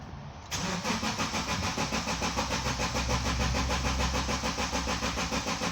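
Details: 2010 Subaru Liberty with intermittent crank-no-start after computer repair: starter cranks steadily, about three beats a second, but the engine never fires; crank angle sensor and its wiring under test.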